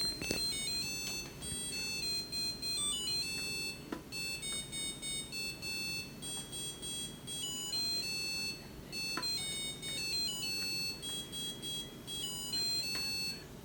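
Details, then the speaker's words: Samsung DW80R5060US dishwasher at the end of diagnostic mode after all 5 tests pass: a bright chiming tune of high electronic notes over a quiet hum; normal end-of-cycle melody, OT code shown. "And it should complete the test, which is, you'll see the code will appear after the 5 tests is passed. And it should play the song by the end of cycle."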